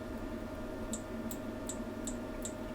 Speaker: can hear it trying to come on, it's trying to switch. Okay, perhaps this power supply hasn't got enough power to get the amp to come on full duty cycle.